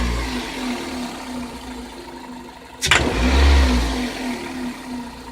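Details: Car engine idling, then one sharp metallic tick as the throttle snaps open, before the revs swell. Denso iridium plugs at 26,000 km, Shell 0W-40 oil at 6,000 km, possibly bad AI-92 fuel, frost to −53°C suspected as a factor. Cause unconfirmed.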